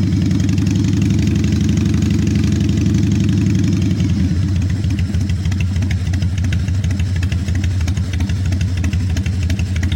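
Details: 1996 Harley-Davidson FXSTSB 1340 Evolution with Mikuni HSR 42 mm carburetor, just started but still stumbling: V-twin lopes unevenly at idle, beat missing every few seconds; sputtering idle before carb mixture setting.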